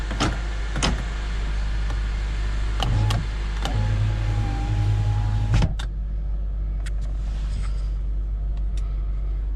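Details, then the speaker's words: 2008 Honda Element door after replacing the failed window motor (regulator): steady low motor hum for about three seconds, clean stop, no grinding or clicking; window works normally after repair. "so everything's working uh so it started off as a heater issue that was the blend door basically and that just required cleaning and greasing but then the window operator died while i was trying to figure that out and so now the car's back on the road not bad"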